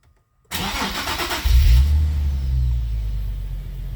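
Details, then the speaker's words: Nissan 370Z with long crank and low power, after fuel pump replacement, prime pressure over 40 psi: quick crank catches at once, brief flare then steady even idle, much smoother than before, fuel pressure near 50 psi holding; fixed. "And it's idling noticeably smoother than before. Yeah, it's idling way smoother."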